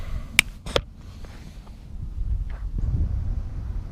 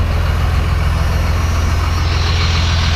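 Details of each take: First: 1994 Cummins P-pump diesel, timing too advanced and overfueled, one-crank cold start at 22 degrees without usual grid-heater wait: slow cranking then harsh loud catch into clattery uneven running; rough start, normally starts easy. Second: 1994 Cummins P-pump diesel with extra timing and fuel, idling warm after a 22-degree cold start: steady low even clatter, no knocks; cold it can't burn the fuel, but warm it runs fine.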